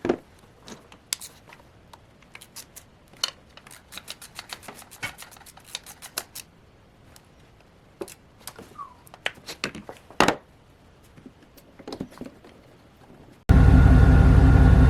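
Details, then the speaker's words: 1994 Chevrolet Silverado K1500 (GMT400), after a new throttle position sensor to fix high idle, catches and settles to a low, steady idle around 500–600 rpm with no surging or misses; check engine light still on. Normal idle. "Okay, guys. Got that sensor changed and truck is now idling probably right around 500 600 RPMs, which is where I think it should be."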